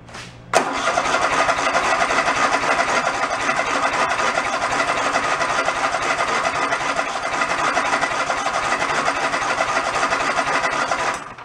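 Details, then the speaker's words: Toro zero-turn mower sitting about 10 years: steady starter cranking about four turns a second for ten seconds, no firing, no fuel coming through; cranks but won't start, fuel delivery suspected, not confirmed. "Yeah, we're not getting anything. I'm gonna go pull the fuel line off the pump."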